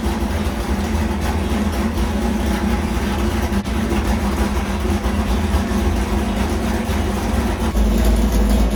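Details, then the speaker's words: New 406 small-block Chevy nitrous street engine for a Malibu, running on the dyno before E85: a deep, loud V8 rumble holding even and strong throughout with no knocks or stumbles; sounds really good. "what do you think on Bob it sounds awesome it sounds really good sounds really good"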